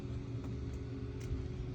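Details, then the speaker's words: Spirit Halloween possessed pumpkin animatronic that moves back and forth: plugged in, it talks and a low steady motor hum spins freely with no strain, but the drive never engages and it doesn't move. "But basically, if I plug him in right now, he talks, but he won't actually engage. You can hear the motor. You can hear the motor just spinning."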